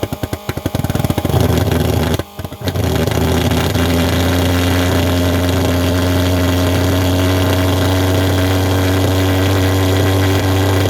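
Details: Vectorfog H100SF pulse jet thermal fogger at start-up: a few sputtering pops at light-off, then a loud, steady low drone at one even speed; the pulse jet is running properly.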